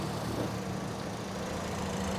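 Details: 2008 Toyota Yaris E automatic petrol engine: an even, steady low idle with a soft constant hum and no knocks, misses or ticks. Combustion is described as perfect with no smoke, a normal healthy idle.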